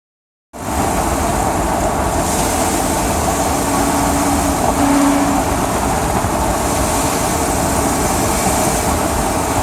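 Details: 5.4L Ford E250 van while driving: a low hum over road noise that comes and goes, starting low at a certain speed and turning loud briefly off the gas. The engine also has a marble-like knock and a slight squeal.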